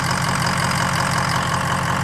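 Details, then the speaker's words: 2003 6.0 diesel during cold-start fuel pressure test, ICP system also suspect: steady diesel clatter at idle with faint uneven low thump; rough idle, fuel pressure problem suspected as cause of long cranking, not confirmed. "But this is a problem, too. And we this could be the reason it's cranking along like that."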